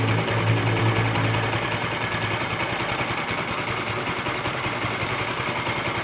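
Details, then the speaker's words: Kawasaki Bajaj Rouser LS135 idling after cam chain tensioner repair (weak spring fixed): steady even single-cylinder beat, smooth low hum, no ticking or rattle; engine now quiet and normal. "Pakinggan natin yung andar niya. Tahimik na ba yung makina?"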